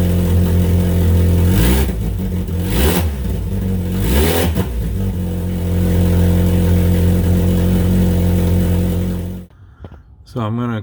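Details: 1998 Mitsubishi Eclipse GS Spyder 2.4L SOHC before a cat-back exhaust replacement: loud, raspy, blatty exhaust that swells with each rev and settles to a rough idle. The muffler has a cut-out hole and punctured or holed spots.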